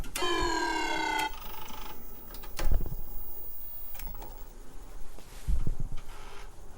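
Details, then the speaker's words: TRS-80 Model I floppy drive struggling to read a disk: a buzzing step tone, then scattered clicks and thumps as the head keeps seeking. The drives likely need cleaning, possibly alignment, or the power supply may be at fault; the NewDOS disk may have failed. "wonderful model one is having issues reading the floppy again I'm gonna have to get some images for new das"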